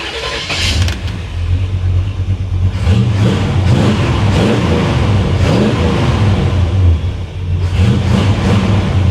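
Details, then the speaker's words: 1957 Chevrolet Bel Air V8, idling well after work (owner suggests plugs and wires wouldn't hurt): deep rumble rises and falls evenly on throttle blips, no stumble or misfire; revs smooth, no dieseling/run-on at shutdown. "nice and smooth nice and smooth"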